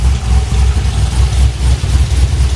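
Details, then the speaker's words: Exhaust noise at idle on a car at about 76,000 miles with port (not direct) fuel injectors: deep, slightly uneven low puffing with a faint chuff each pulse, possibly an exhaust leak; mechanic says it sounds weird and is not tuned right; cause unconfirmed. "oh yeah I do hear that sounds so weird [Music] this thing is not tuned right"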